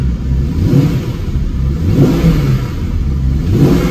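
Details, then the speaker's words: 1997 Jaguar XK8 V8 with 12,000 miles, after replacing the failed ignition module that caused a 4-of-8-cylinder misfire: three clean, smooth blips with no stumble or miss. It would not rev like this before; it now revs freely and healthily. "It wouldn't even do this before."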